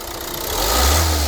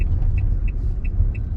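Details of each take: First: Opel Movano biturbo diesel, injectors recently repaired (nozzles replaced), one injector knocking under highway load; at idle with free revs the knock is absent: smooth even rev rise without ticking; current clamp on injector 1 and microphone fitted; normal free revving. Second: Opel Movano 2.3 biturbo diesel after all injectors were repaired with new nozzles: low road rumble accelerating from 20 km/h under load on highway, sharp regular ticks about three per second; stethoscope and oscilloscope locate knocking injector at cylinder 1.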